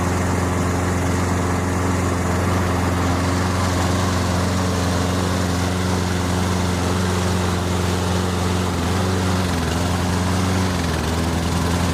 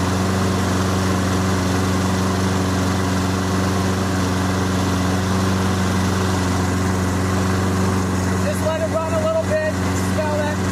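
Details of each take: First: Toro Recycler 22-inch push mower, Briggs & Stratton 190cc, running while AMSOIL Power Foam is sprayed into the carburetor and saturates it: steady drone that sags in pitch as the engine bogs from the cleaner. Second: Toro Recycler 22-inch push mower, Briggs & Stratton 190cc, after an AMSOIL Power Foam carburetor soak and smoky burn-off: steady, even single-cylinder chug at a constant pace with no misses or surging; normal running.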